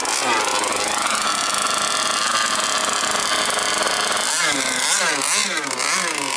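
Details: Jet boat engine tested on a river after fitting a different impeller: very loud, sharp, buzzy note rising and falling with throttle and nothing muffling it, because the silencer is off. The motor mount came off during the run.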